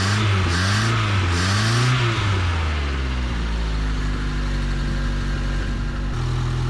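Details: Truck last registered in 2005, after the distributor wire was bent away from the cover to stop it grounding: the engine revs up and down a few times, then settles into a steady even idle with no misfire; it now runs properly.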